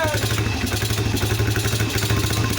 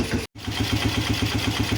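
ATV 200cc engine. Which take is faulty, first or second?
first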